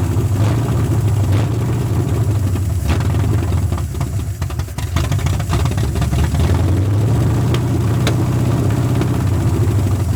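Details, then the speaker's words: 1981 Ford Mustang 5.0 V8 after the carb mixture screws were readjusted from about 14 turns out. A hunting, stumbling idle that dips before recovering; the owner suspects a vacuum leak, a faulty carb or ignition timing still off. Rough idle. "still fighting me acting like it's got a vacuum leak still what's there"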